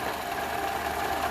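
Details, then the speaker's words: 2012 Toyota RAV4 at idle, noise traced by stethoscope to the belt tensioner's plastic pulley (alternator replaced a few years ago); pulley possibly cockeyed, belt threads fraying on the left side. Even idle with a thin wavering whine on top; worn tensioner pulley. "I stick it right there at the belt tensioner. That's where the noise is coming from. They got the little plastic wheel there, so I think that's what the noise is."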